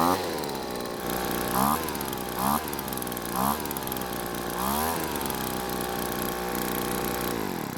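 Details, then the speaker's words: Poulan two-stroke leaf blower after engine teardown, idle set screw backed out: continuous buzz holding speed without cutting out, partly masked by music; a stuck piston ring causing low compression was why it wouldn't start; now running normally. "well it seems the stuck piston ring was the reason the engine wouldn't start and I'm glad it did because I was running out of ideas on how to fix this blower"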